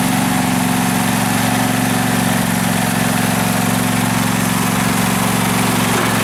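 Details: 2012 Husqvarna riding mower that survived a flood, run before any carburetor cleaning: a steady, even low burble from the twin with no misses, knocks or hunting, a normal smooth idle.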